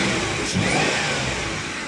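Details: 2010 Ford Explorer after repairing electronic throttle body actuator motor wiring (had misfire, RPM hunting, no pickup, codes P2100/P2104/P2107): engine picks up cleanly, pitch climbing smoothly, no stumble or misfire; throttle responding freely.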